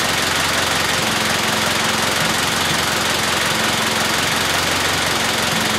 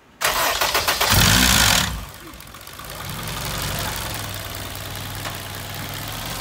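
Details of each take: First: Honda K-series engine stone cold just after fixing a cold-start rattle, no idle air control valve fitted so slightly hard to start: steady, fast cold idle with an even beat and no rattle, running perfectly. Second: Honda K-series engine cold start: harsh metallic clatter for under two seconds before settling to idle; rattle present for months and worsening.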